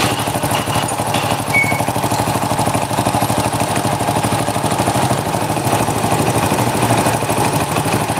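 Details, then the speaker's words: Honda Supra 100 (NF series) motorcycle, poor-condition engine, front engine section: idles with a coarse diesel-like clatter over the beat; excess crankshaft play and worn clutch housing. "oke eh step ini suaranya horor ya teman-teman untuk bagian sini untuk bagian mesin depan"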